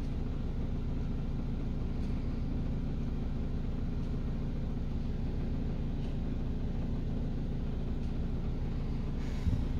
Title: Over the range hood vibration